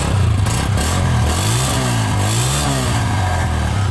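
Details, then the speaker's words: A 125 bike fitted with a common aftermarket silencer, revved up and down: a tinny metallic clatter rides on the exhaust note. All the baffles along the silencer are loose and rattling, before it is replaced with a Senkie silencer. "इसकी इधर से लेकर इधर तक जितनी baffle है सारी जो है ना इसकी आवाज़ करती है।"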